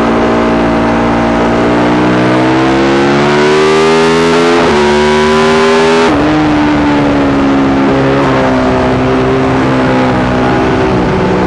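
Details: Yamaha YZ450 single in a supermono race bike revving hard with a ragged, stumbling note and uneven firing under load. Misfire gets worse once hot after a couple of laps; carb, fuel tank, filter, breathers, ignition, coil, generator changed, cause not found.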